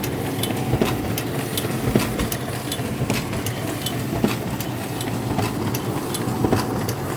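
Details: SP5300DN printer running: irregular sharp clicks about once a second over a steady mechanical hum, a clicking fault of unknown cause.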